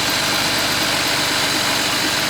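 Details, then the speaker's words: 1986 Larson V175 Seneca 17 ft ski boat engine, warmed up, fitted with an aftermarket cam: uneven, choppy lope over a steady exhaust drone at idle; typical cam sound, nothing wrong. "I do wanted to let it get warmed up cuz I want to hear if it has chopped cuz it's got a cam in it oh yeah it's definitely cam"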